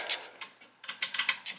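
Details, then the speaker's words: Hydronic heating system with multiple thermostats upstairs: sharp uneven dry clicks in quick clusters, zone two relay calling for heat when it shouldn't; zone relay clicking, cause not yet found, wiring being traced. "i don't know why zone two is calling that's this big one here calling for heat somehow"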